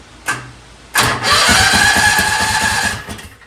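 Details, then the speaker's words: Predator 670 in a Yerf Dog buggy after a stage-two build: governor and low-oil sensor deleted, PWK34 flat-slide carb on a custom manifold, 50 lb valve springs, billet rods. Started on an old battery; quick even pops with more punch, slightly rich; normal start. "Sounds like it's got a little bit more uh oomph to those pops. Also sounds a little bit rich. Runs good. Runs real good."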